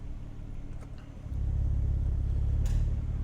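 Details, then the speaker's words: 2001 Renault Clio Sport 3.0L V6 with about 70,552 km, idling while the air con compressor engages. The steady idle rumble thickens and settles a notch louder as the clutch engages normally, and the engine holds idle. Normal compressor engagement. "okay you can hear it engaging okay we'll just switch it off I don't want to run it in here for too long fumes in it"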